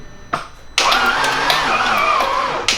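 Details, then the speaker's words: 2007 Audi B7 RS4 4.2L, first start of a replacement engine with no oil pressure. Brief cranking, then a rough, harsh metallic start with a rattling edge that cuts off. Owner suspects this caused damage; not confirmed. "I started it up 3 different times for, you know, a few seconds at a time, where the engine clearly had no oil pressure whatsoever, and it sounded awful."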